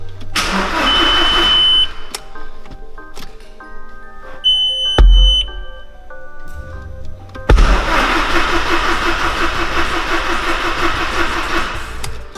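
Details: Audi no-start, tested with the main relay bridged: the starter cranks in steady rhythmic bursts but the engine never fires. Still no fuel pressure, because the pump was drawing only air.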